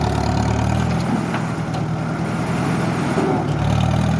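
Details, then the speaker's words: Farmall tractor engine after carburetor rebuild with a kit, started without choke: steady low rumble with even firing, no misses or stumbles over four seconds; runs smooth and healthy, fine tuning still to do. "we'll see if we can fire it up without the choke see what it does fired up ni without the choke"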